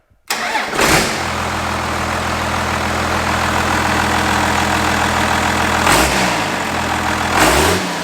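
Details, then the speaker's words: 1967 Ford F-250 with 1993 Dodge 5.9 Cummins swap, intercooler hooked up: fires quickly and settles into steady even diesel clatter with a couple of clean revs, turbo spooling; starts and idles healthy. "that never gets old i just love that uh the intercooler's all hooked up we're spooling like we should and that thing just sounds sweet"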